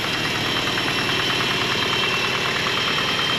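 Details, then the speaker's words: 1983 Toyota Pickup SR5, 5-speed, 41 years old, parked about a year on bad gas: steady idle with a fast, light, uneven metallic chatter up front; owner suspects worn timing chain guides needing replacement. "Idle right down and now you can really he that freaking chain guide I'll fix it some"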